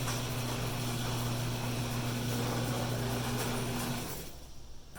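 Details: Coastal garage door opener after lubrication: smooth, steady motor hum with no squeaks or grinding, then it stops; before lubrication the door sounded grumpy.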